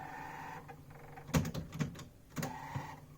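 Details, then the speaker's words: Very dusty, low-quality Philips FCD285 stereo system's CD player, first test after coming from a house clearance: short motor whirs and scattered clicks as it keeps trying to read the disc, shows an error and gives up; failing to read disc, dirt suspected, not confirmed. "something weird going on that CD player no it gives giving me an arrow the thing is I could open it up and clean it but I'm not sure if I'm really willing to because of how low-quality this thing is"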